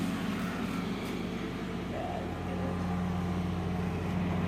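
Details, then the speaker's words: Honda XR80 dirt bike, kick-started after gas poured into the carburetor; has good compression, but the small single holds a steady low drone and won't climb in pitch or accelerate when throttled, cause unclear. "then we are going to kick it over and it has really good compression for in a DCC so should run great see isn't accelerating"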